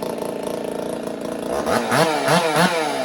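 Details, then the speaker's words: Two-stroke chainsaw with 372 flywheel and adjusted timing, started using compression release: revs blip up and down crisply, climbing cleanly and settling without stumbling; sounds healthy, much better than before. "She she sounds pretty healthy now. Sounds a lot better than it did before."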